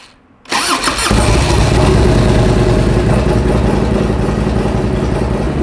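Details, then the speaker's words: 1994 Harley-Davidson Ultra Classic with sidecar, freshly rebuilt Evolution V-twin, first start, oil pressure light confirmed: brief crank, quick catch, steady even loping idle, no knocks or misses, charging; healthy. "It's charging. Sounds good."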